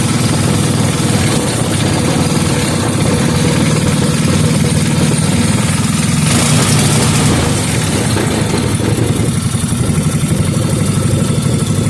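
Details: 5 hp Briggs & Stratton engine rebuilt from a very incomplete state, refired and left running with residual two-stroke fuel and penetrating oil burning off: steady, fairly even beat, no knocks or misses; normal running.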